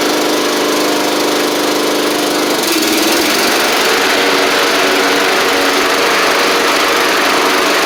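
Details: Troy-Bilt Pony mower with swapped-in Briggs & Stratton flathead (replacing Powermore; new Briggs carburetor, 12.5hp air filter), final test with hood back on and fresh oil: even, steady drone settling at higher speed after a few seconds, no misses or knocks; normal running.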